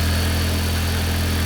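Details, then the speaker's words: 2004 Audi A4 Avant 1.8T automatic after cam cover gasket, spark plug and oil change, some oil spilled causing smoke: steady, even low idle hum with no knocks or misses; normal idle, no leaks seen. "Running okay. That noise you may have heard is because I also changed the oil recently,"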